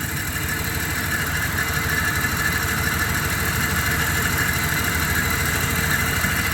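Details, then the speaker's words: 1997 Dodge Caravan LE V6 after a brand-new coil pack and fuel-line clip repair: idle with irregular stumble and faint chirp, check-engine light still flashing; engine misfire at idle, coil-pack cause suspected. "feels like it's stumbling still no still got a flashing check engine huh that's weird sounds better though"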